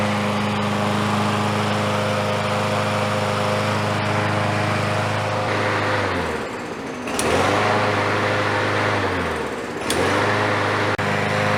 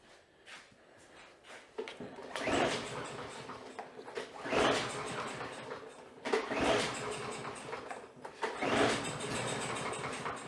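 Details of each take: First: Free, smoky Troy-Bilt single-cylinder mower, restarted with the door open: drones steadily, dips twice in speed and recovers at once; runs evenly with no misses, healthy. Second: Free roadside-rescued smoky Troy-Bilt mower, lots of oil down the cylinder: repeated pull-starts, each a brief rough sputter dying within a second; starts on starting fluid then shuts off, carburetor problem identified, oil flooding suspected.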